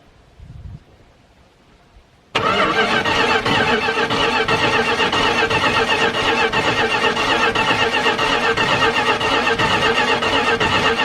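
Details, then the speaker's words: Dodge D150 Mopar truck engine cranked for the first time in at least 25 years via jumper wire, starter found loose with upper bolt missing: even rhythmic cranking pulses about four a second, no skips; compression sounds healthy and balanced. "Boy, that sounds pretty good."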